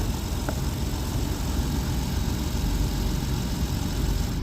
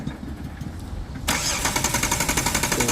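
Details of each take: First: Jeep Wrangler Sport that died while driving and then cranked but wouldn't start, running again after a blown fuse was replaced: steady, even low rumble without misses or knocks; starts and idles normally. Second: Jeep Wrangler Sport that suddenly died while driving; cranks steadily but never fires, check engine light on, no spark at test plug.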